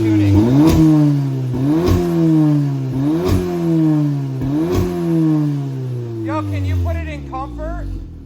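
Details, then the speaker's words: 2019 Audi S3 with high-flow cat and ECS Tuning catback, muffler/resonator deleted, before AWE exhaust install: four sharp revs, each with a thin, raspy, buzzy tinny edge over the drone; Dynamic and Comfort valve modes sound no different. "exactly that's why this exhaust is coming off so it can stop sounding like a tin can and we're putting the awe on"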